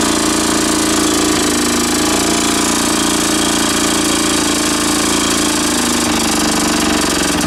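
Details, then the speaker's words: Lawn mower engine with homemade big end bearing shell: fast loosely regular ticking about three or four a second over a buzzy small engine; source unclear, possibly internal or wrong spark plug, running better than before. "no no that ticking noise he's something else in the engine or not maybe the wrong spot plug in it I don't know"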